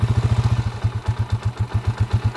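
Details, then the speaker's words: Honda TMX155 idling after a timing gear replacement (the old one was noisy with a cat-like whine), block rebore and new valve seal. A steady, even low thumping with no whine or tapping; the engine sounds healthy. "Yan. Yan na yung andar niya ngayon mga kabro."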